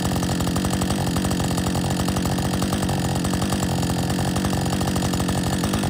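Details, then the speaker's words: Husqvarna 562XP chainsaw back from the shop after dealer reflashed its software for dying when hot and not starting; after refueling and a lunch break, saw holds a fast, even two-stroke idle with steady firing beat, no surging or dying. Normal idle. "so far as idling fine what do you think will it idle"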